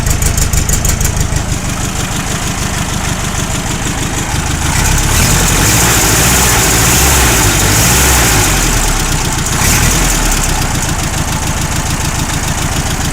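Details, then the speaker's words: Overhauled ancient air-cooled two-cylinder car engine fitted with auxiliary water-cooling mod, idling: even throbbing twin idle with a brief rev, no knocks or misses; healthy. "I can listen to this engine idling forever."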